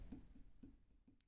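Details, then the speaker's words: Yamaha XT 550 engine teardown, crankshaft bearing turned by hand: faint soft clicks about every quarter second with rough bad spots, maybe junk inside, owner unsure; notchy bearing, to be replaced. "this one helps us really really bad spots in it and i think this one oh you can hear it yeah so this also has a"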